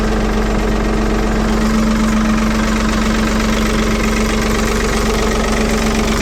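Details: 1975 Ford 550 backhoe "Big Mo" cold-started after repair, out of gear in neutral, fires up like a banshee and settles into a steady, even idle with a smooth low drone, no knocks or misses; normal idle.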